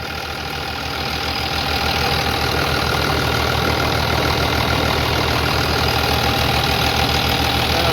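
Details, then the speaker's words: 3588 tractor, 7,338 hours, freshly rebuilt diesel and tight new hood: steady, even idle with a smooth low pulse at about 200 beats a minute and no knock or misses. Healthy, quiet normal idle. "she's just she's so quiet the new hood's not rattling fits good and tight"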